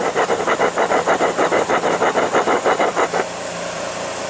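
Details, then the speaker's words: 1992 Cadillac water pump, removed and turned by hand: a rhythmic gritty rasp about three strokes a second from a rough, worn bearing. It was noisy rather than squealing or leaking. "whatever the issue was with this pump was that i was we were hearing a noise out of it most of them could say that there's a squeal in it or it'll start leaking water when the pump goes out but that's not it"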